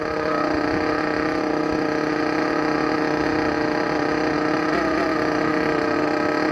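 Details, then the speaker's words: Thunder Tiger EB4 S2 nitro RC car with aftermarket exhaust, just started and warming up in cold weather: extremely loud buzzy high-revving note with wavering pitch, uneven running; owner thinks it's running a little rich and will adjust tuning. "Going to adjust the tuning slightly, but you can already see what it sounds like, what it goes like. I think it's running a little bit rich at the moment, so we'll adjust that."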